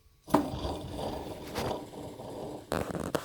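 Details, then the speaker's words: Ex-police Ford XG van at 900–1,000 rpm idle: rough gritty grinding from a worn A/C compressor pulley bearing on a used, untested donor compressor. "you can hear it really grounding like grinding like the I think they have bearings"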